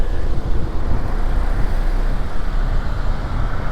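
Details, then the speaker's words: 2006 Mazda RX-8 rotary with twin oil coolers, just delivered from auction, condition unknown: steady low, even burble with no knocks or misses; normal idle. "But it sounds good. It sounds like it's running well."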